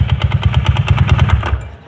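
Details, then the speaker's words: Honda Beat carburetor automatic scooter at idle: quick sharp knock about nine per second that stops as the engine dies; loose magneto fan boss, noise gone after fixing. "tetap [Tertawa] buka dulu terus buktikan Oke ya udah itu kan copot kantung ini bosannya copotin ini tuh udah longgar ya nih yah kayak gitu"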